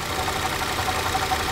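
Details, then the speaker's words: 2013 Ford Escape at idle, heard through a screwdriver held on the alternator: a rough, gritty whirring from the alternator bearing, while the idler and water pump run smooth. The alternator is the noisy pulley. "that's it it's my alternator so this is the easiest way to figure out without replacing all the pulley cuz it could get quite expensive"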